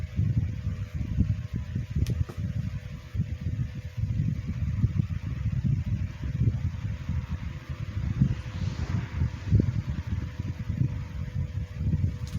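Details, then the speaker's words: Comfort Zone CZHV9BDG 9-inch high-velocity fan, first run since mid to late 2022. Low, uneven rumble with irregular thumps under a faint hum. Owner thinks it must work the oil in, cause not confirmed. Rough-running fan motor. "Okay, you can hear that it's waking up. It's warming up. I don't think that I've ran this thing, but maybe at least once or twice. So it's going to have to work that oil in there."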